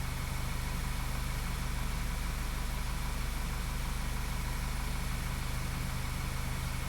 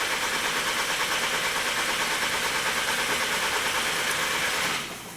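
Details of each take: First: 2012 VW CC 2.0 TSI CCT engine, after cam timing repair, misfire counters showing no misfires; smooth, even idle with steady low hum, no stumbles, normal idle. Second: 2012 VW CC 2.0 TSI CCT engine with cam timing codes P0341/P0016, intermittent no-start that usually starts on retry; steady cranking about three beats a second for nearly five seconds, never catching, crank no start.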